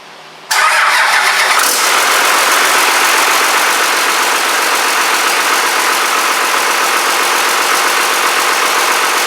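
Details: Rebuilt Cummins 12-valve diesel, first fire-up with boost tube not yet connected: cranks briefly, catches cleanly and settles into a steady, even clattering idle with no knocks or misses; a brief buzz was noticed.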